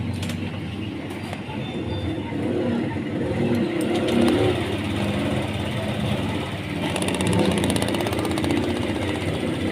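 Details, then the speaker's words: Honda Click 125/150i scooter that misfired and bogged, after manual ECU reset of temperature sensor and TPS with paper clip: one-click start, catches quickly and settles to a steady idle with light blips, no delay or hesitation. "So yan, kita nyo mga tropa, one click lang, start. Tignan natin kung meron delay."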